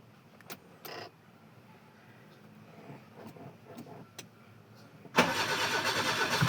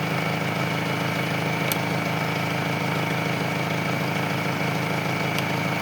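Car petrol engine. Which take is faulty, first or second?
first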